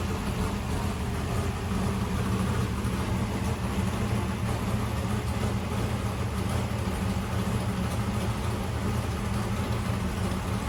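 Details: 1964 Corvette vintage race car with newly installed engine, first start: deep steady V8 idle with even lope, no knocks or misfires, running healthy.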